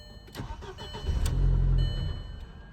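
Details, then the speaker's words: 2004 VW Passat, second start attempt: a brief crank, the engine catches for about a second and cuts out. The immobilizer is rejecting the key, and a locksmith later reprogrammed the key chips to fix it. "No, it turned over and the engine started, but it shut right back off."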